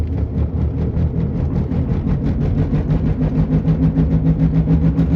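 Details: Driving: steady rhythmic wub-wub hum, several pulses a second, rising with road speed; the cause was a bad front passenger-side wheel bearing.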